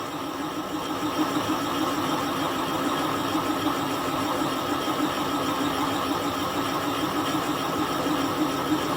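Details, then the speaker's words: Kasto EBS 400 power hacksaw rebuild, boring a clamping-jaw bush seat at 0.4 mm/rev feed: steady metal-cutting hiss with a faint ring as the boring tool starts rubbing the bore wall. "Okay, there sounds Like we're hitting the side of our bore."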